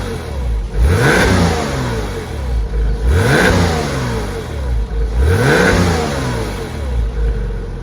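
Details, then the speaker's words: Porsche 986 Boxster, stock exhaust, after accident repairs, cold start just ended and not fully warm: three clean blips rising smoothly and falling back, even crisp exhaust note, no knocks or rattles; healthy engine. "The engine sounds absolutely amazing."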